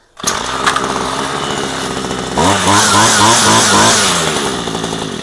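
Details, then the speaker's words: Ryobi string trimmer two-stroke found discarded, after carburetor cleaning and refueling: starts at once, holds a steady buzzing idle, revs crisply and drops back smoothly; normal running. "Okay. So, this one this one is that one's as good as fixed."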